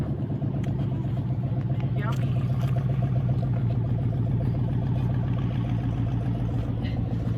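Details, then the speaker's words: Project race truck running after reconnecting the unplugged crank sensor: a steady, even low idle with a regular firing beat and no misses, knocks or stumbles. It may need more transmission fluid. "But yep, the truck does run and drive now. You guys can tell."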